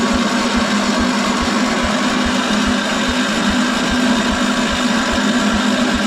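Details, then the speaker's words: 1975 PowerKing tractor, first start in 2 years, choke pulled, a little throttle, clutch in, likely in neutral: slow, uneven single-cylinder thumping about twice a second, barely staying running; owner suspects moisture inside, possibly flooded. "it hasn't run in a long time I know it has got a lot of moisture in there"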